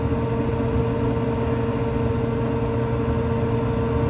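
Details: Restaurant kitchen hood exhaust fan, belt-driven, test-run after a new belt was fitted, with kitchen background: a steady, even mid-pitched hum with no knocking or squealing; running normally after the repair.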